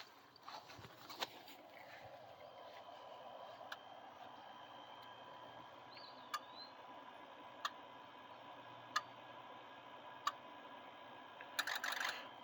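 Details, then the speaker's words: Diesel truck, key on engine off injector self-test: faint, evenly spaced single clicks about every 1.5 seconds, several weak or missing (nothing on 2, 3), pointing to unresponsive injectors; owner suspects the injector harness. Not confirmed. "That's interesting. 1, nothing on 2. Trying to figure it out myself. 1, nothing on 2, nothing on 3, 4, 5, 6, 7, 8."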